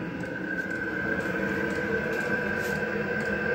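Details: Diesel heater temporarily strapped up at a cabin, just fired up after sitting cold and wet, with the owner checking whether a diesel leak has stopped. It has an even, steady jet-like whirr with a constant high fan whine and no knocks or sputters: normal running.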